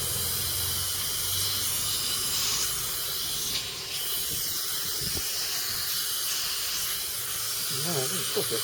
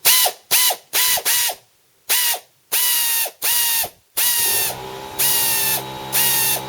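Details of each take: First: Small Stanley compressor powering a second-hand CP air drill: a steady high hiss of air escaping from a hose fitting that isn't done up tight; a minor fitting leak. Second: Secondhand 3/8-inch drive pneumatic ratchet on a small compressor with a socket fitted: short bursts of high, even air-motor whir, clean starts and stops, turning both directions with no air leaks; healthy operation.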